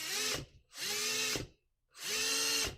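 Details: Dry speedometer mechanism of a 1980 Yamaha QT50 moped spun by a drill through its cable, giving three short bursts of loud, high, hissy whine.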